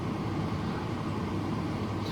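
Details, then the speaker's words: Ford BF Falcon during ICC swap, ignition on with security code error showing: steady low whooshing hum of the cabin blower running on its own with no switch input; cause not yet found. "But this time with this, fan's coming on again. What's going on with that?"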